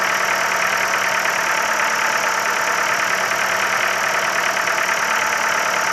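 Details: Ford Focus 3, 1.6 L 125 hp engine at steady idle with a fast, fairly even light tapping running through it; engine knock present, source not pinned down.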